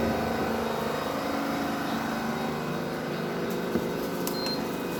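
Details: BAAM001 home treadmill after about one year of use, incline 5, at top speed 14: steady, even motor hum with a faint high whine and no knocks or scraping. Normal motor hum at top speed.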